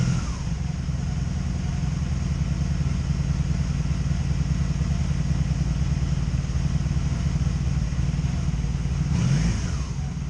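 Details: 2002 Honda Magna VF750C V4 idling with an uneven, stumbling beat and dropped exhaust pulses: misfire now felt on all four cylinders, earlier mostly the bottom ones; persists after replacing ignition coils, also backfiring; owner suspects the CDI box.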